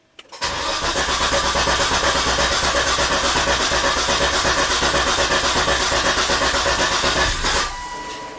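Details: 2004 Volvo XC90 T6 twin-turbo AWD with MAF and CKP sensor codes, usually crank-no-start or starts and stalls within 10 seconds: steady cranking about three beats a second for seven seconds, no catch; long crank, no start.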